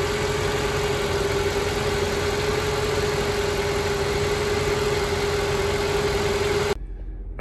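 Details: Mercedes ML55 AMG V8 after new valve cover gaskets, spark plugs, throttle body clean and new expansion tank cap: starts and settles into a steady, even idle with constant mid-pitched hum, no knocks or misses, then cuts off.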